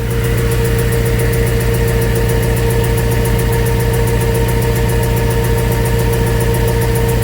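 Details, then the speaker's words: Before repair, the car idles rough with a sharp, steady tick about two or three a second over an uneven beat. The tick seemed to come from under the car and was thought to be exhaust. The cause was a failed coil pack misfiring. "all right so that was the ticking noise that was in the car um didn't know what it was from it sounded like it was coming from the bottom of the car thought it was exhausting that any other"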